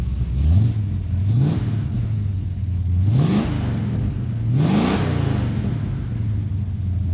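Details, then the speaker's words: 1969 Dodge Coronet 500, believed stock 440 V8 (possibly HP), 4-speed, nearly cold start, sat for years, carburetor never serviced: deep idle, four clean throttle blips, slightly uneven idle between; owner blames the untouched carburetor. "it's just a stock 440 is what I believe it is um nothing fancy and it's not running 100 as good as it could just because you know like I said I never even took that carburetor off"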